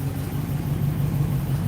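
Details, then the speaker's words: 1960 Ford Starliner with a 292 Y-block V8, heard from the rear. The idle was low right after starting and is now smoothing out into a deep, even burble with no knocks or misses. Normal, healthy idle. "There we go. Now it's smoothing out a little."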